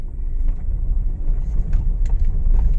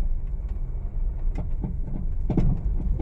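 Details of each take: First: Honda Mobilio test-driven on a rough village road after tightening the loose front stabilizer link bolts (not replaced): steady low road rumble with only faint light taps and no clunking; suspension now quiet. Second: Honda Mobilio test-driven on a rough village road before repair, with noise absent on smooth roads and reaching the cabin: uneven hollow clunks on every bump over road rumble from the front end; loose stabilizer link clunk.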